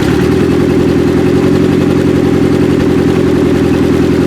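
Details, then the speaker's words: 1995 Acura Integra LS, semi-built B18 with forged pistons and rods, block guard, aftermarket cams, eBay turbo, new head gasket; first start after cams. Uneven idling clatter with lopsided exhaust beat; unplugging injectors shows one cylinder 100% dead though it has spark; valve lash suspected. "That's 100% dead. She was firing. That's it. Fuel injector unplugged."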